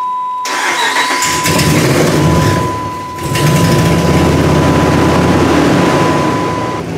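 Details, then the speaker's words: 2006 Dodge Ram 5.7 V8 with very high mileage and a years-long intermittent crank, start then shut-off fault, cranked after a repair with the ABS reading no fault: short crank, catches quickly, dips once, then steady idle under a chime; normal start. "ABS past no fault that's the one we want to fix that looks good now and let's see if the truck starts"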